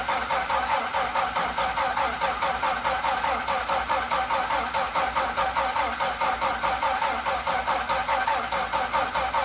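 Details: Dodge D5N truck with 245 Hemi, first start after sitting 5 years, after a new terminal, new fuel line and fuel added: the engine catches and settles into an even, steady beat with no knocks or misses; it runs normally.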